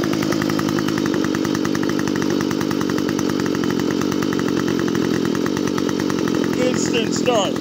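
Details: Stihl FS45 trimmer that wouldn't start, fixed by removing a part with a 5/8 socket. After the fix, the small two-stroke buzzes at a steady high idle with even firing; running cleanly.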